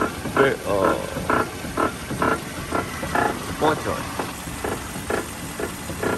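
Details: Sway bar link pin squeak: creaky croaking squeaks about twice a second as the steering wheel is rocked back and forth. Clamping the link confirms it, and greasing is recommended.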